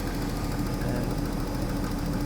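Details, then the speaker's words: Daimler XJ40 (old Jaguar) idling the day after it broke down on the highway in the rain: a steady low rumble with a faint uneven throb. It shimmies and is not as smooth as usual but responds to revs normally. The fuel pump relay is about to be checked. Cause unknown. "but it is definitely not as smooth as it usually is i can sort of feel it shimmy a little bit but uh does respond respond to revs normally"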